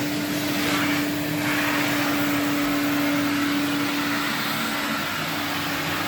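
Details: 1979 Electrolux Z96 cylinder vacuum, floor head on carpet: steady high motor whine with airflow rush, laboured and tight; motor struggling under load, owner suspects it needs suction control/air release.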